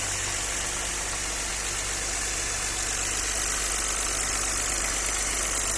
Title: Audi 100 c4 2.6, стук двигателя.